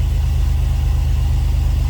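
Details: 2004 Chevy Astro 4x4, 4.3 V6 Vortec, after installing a new Brave X aluminum distributor: deep, even idle pulse with no clicking or misses; earlier clicking was suspected from passenger-side coil or ICM. Normal idle.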